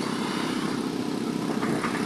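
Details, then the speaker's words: JOSON amplifier, faulty channel: a harsh, crackling, garbled "garokgok" rush with no clean tone, while the other channel plays clean. The channel distorts badly; cause not yet found. "Garokgok. Garokgok ang tunog mga kabutingting, di ba? Garalgal."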